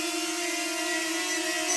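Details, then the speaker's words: DJI Flip on its first flight, hovering: a steady high whistle ("snoring/sneezing") over the hum, clearly heard when the drone moves, seemingly from the propellers. The cause is unclear, a suspected factory fault. "This is snoring. This is snoring, sneezing, like this is the issue that I'm talking about. So when I move the drone, I can hear clearly."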